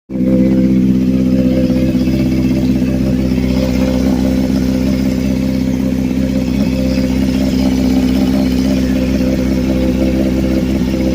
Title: CBR600RR New Engine, What's That Sound?